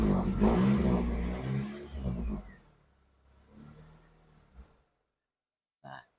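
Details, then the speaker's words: Honda City automatic with unstable idle: engine is blipped, then falls away unevenly, sags and dies within seconds; it restarts hard, needs throttle, and stalls when shifted into gear with the brake on. Dirty ISC idle control valve suspected; idle possibly tampered with previously. "Nah, uniknya si unit ini ketika kita over dia akan down ya ee alias meninggoy ya. Tuh ya meninggoy atau mati."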